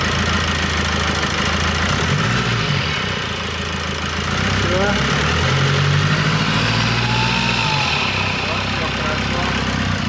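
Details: Car with a whistle under the hood first suspected as alternator overrunning clutch or pulley, turbo gaskets replaced: even idle with low droning hum, no whistle or whine on top, engine idling normally after repair.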